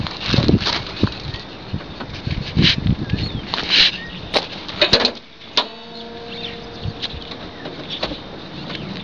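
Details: Ford Ranger at idle: irregular sharp chirps, then a loud high-pitched squeal as the engine revs, from a slipping serpentine belt; a belt dressing rubbed on the belt reportedly fixed it.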